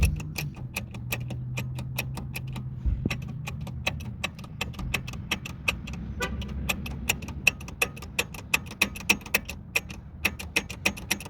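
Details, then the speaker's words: 2004 Toyota Sienna drive shaft with grease gone and very dry, vibration above 60 km/h or accelerating: crisp dry ticks in quick runs as the shaft is rocked by hand; worn CV joint with play, needs replacement. "You can see it goes up and down, and makes a lot of vibrations, noises."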